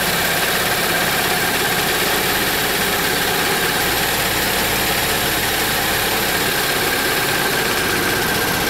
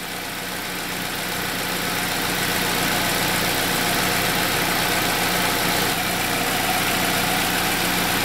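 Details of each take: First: 2007 Saab 9-3 2.0T, codes P1682 and P0201-P0204, intermittent rough running, gas smell and smoke: loud uneven lumpy running under constant hiss as injectors stay open and flood it; ECM injector drivers suspected. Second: 2007 Saab 9-3 2.0T with intermittent injectors-staying-on fault, codes P1682 and P0201-P0204: after the fault just cleared, steady even idle with smooth regular beat, no stumbles or misses; engine running cleanly again.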